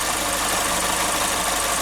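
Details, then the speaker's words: Chevrolet Spin petrol engine at idle with a light, quick tapping over the hiss from the canister purge solenoid; the noise stops when the solenoid is unplugged and returns when reconnected, and is heard better inside the cabin. "Pessoal, o barulho tá vindo aqui dessa região aqui, ó. Ali nós temos um carinha ali que chama eletroválvula de canister."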